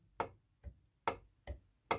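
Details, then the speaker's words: 3D-printed maglev rotor: light dry ticks about two per second, alternating loud and soft, as the spinning main rotor shaft touches its end wall; the magnets should push it against only one back wall, not both ends. "what you can't do is have it push and be up against this back wall here and up against this back wall it can only be on one end"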